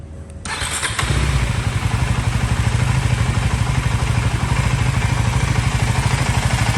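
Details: KTM Duke 390 Gen 3 (LC4C single) recorded on phone microphone: fires up and settles into a steady even thumping idle with light combustion clatter; healthy normal idle.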